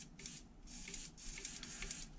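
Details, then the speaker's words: HPI Savage 3.5 nitro RC truck (.21 build), throttle/brake servo: short whirring bursts with a gritty clicking as it drives to brake, gears fighting themselves; servo then swapped for another. "The Brak is the brake is a little gritty you can hear it clicking on the inside it's really fighting with itself"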